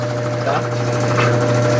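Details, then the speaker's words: Brastemp BWG 11 kg washer in the spin cycle after all tie rods were replaced: steady low hum with the basket centred and no longer hitting the side. Some tub sway remains from the thin suspension. Normal spin. "Mas a centralização do cesto aqui já ficou boa. Tá ótimo aqui. Praticamente está normal aí, tá? Não está encostando aqui, ó, no lugar que estava batendo do lado."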